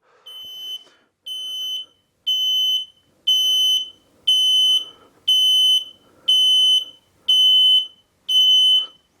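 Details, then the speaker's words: Mobility scooter that won't move despite a full charge, after switching off and on: nine sharp high beeps about one per second, the nine-flash code for an unconnected electric brake; reconnecting the brake cleared the code. "nine before it was eight now it's nine why's that nine flashes on this particular one means the electric brakes no connected"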